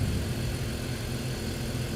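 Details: 2005 BMW 325i with a cylinder 2 misfire and code P0300, rough-running complaint: steady, even idle after the fix, with no misfire felt and a clean ignition waveform.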